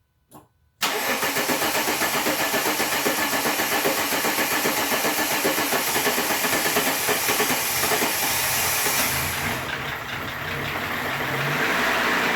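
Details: 1997 VW Eurovan with the VR6, first start after timing chains were replaced in the van: the engine catches at once and holds a steady, even idle with no rattle or chain slap; a fuel filter leak was found afterward.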